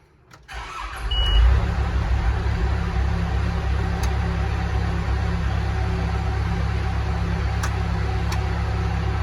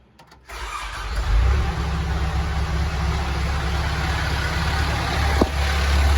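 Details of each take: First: Telehandler diesel with returning fuel issues after it died, in snowy cold: deep steady cranking about nine seconds with no firing; crank no start, fuel supply problem suspected, not confirmed. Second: Telehandler diesel, start after bleeding air from the fuel system to cure surging: brief crank, catches within half a second and settles into a steady, even idle with no hunting or surging.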